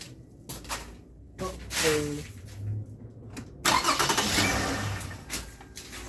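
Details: Toyota Avalon, believed 3.5, just after alternator replacement with a customer-supplied part: engine cranks, catches and settles into a quiet, even idle with none of the cold-start whine heard before; alternator now sounds healthy.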